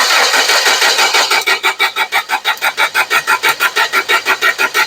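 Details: Toyota 7FGCU25 forklift with 4Y engine, cranking no start after a tune-up, 30 kV spark confirmed: steady cranking at about three turns a second with no firing; the camshaft gear driving the distributor is stripped, leaving ignition completely out of time.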